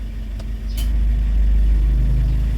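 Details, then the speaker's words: Suzuki APV, warm engine at operating temperature, air-con switched on, camera at the window: low, steady idle rumble with no squeal or chirp. The belt noise that occurs after a cold start with the air-con on is gone once warm. "Nabuksan ko na yung aircon. Wala na akong naririnig na ingay."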